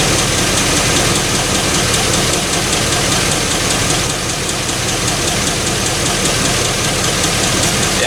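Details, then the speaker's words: 1984 Chevy K20 with LS swap, idling while bleeding the cooling system after about three quarters of a container of Marvel Mystery Oil was added: smooth steady idle with only a soft light tick; lifter tick much quieter. "um the lifter is a lot quieter i put like three quarters of a container of marble mystery oil in there running really good right now"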